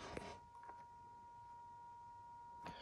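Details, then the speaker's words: Large display screen on a Mackie control interface gives a faint, steady high whistle near 1 kHz (coil whine), annoying; whine stops when the screen is switched off. "L'écran fait un sifflement. Et ça, c'est assez dérangeant."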